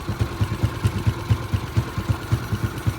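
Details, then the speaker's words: Yamaha Exciter 135 with rebuilt 62zz engine, full CTR ignition, reworked exhaust, large radiator; even low thump about four times a second, no knock or rattle; smooth idle, much quieter than before rebuild. "Nghe dàn hơi rất là ấm nha. Máy em ru luôn nha anh em."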